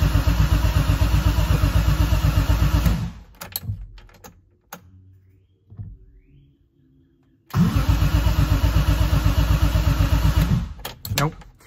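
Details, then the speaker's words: BMW E30 M3 with S54 engine swap, first start attempt after swapping the DME: two long bursts of steady cranking at about four turns a second, never catching; fuel pump not coming on. "let's give it a start see if that fuel pump goes on the fuel pump did not go on maybe it's at pressure could be"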